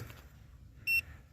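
One short, clean high-pitched beep in a quiet room; the controller is powered and responding, battery good.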